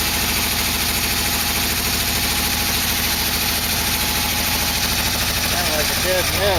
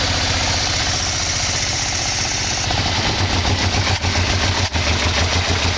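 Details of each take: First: 1987 Yamaha V-Max after engine install: rough, lumpy running with an uneven beat over the exhaust note; dead miss, one cylinder not firing because its spark plug wire is left off. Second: 1987 Yamaha V-Max V4 freshly installed, carbs and exhaust fitted: steady, even idle with smooth low pulse, no knocks or rattles, oil burning off; engine runs cleanly and sounds healthy.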